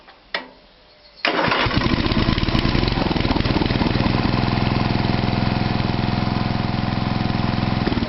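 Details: Toro 832 ride-on mower after a new carburetor was fitted, short crank, then it catches at once and settles into a steady, even single-cylinder run without stumbling: normal start.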